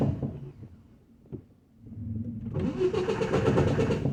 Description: at Metro automotive shop trying to start my truck up listening to the starter it sounds like it's grinding as it turned never heard this sound before the starter could not be aligned right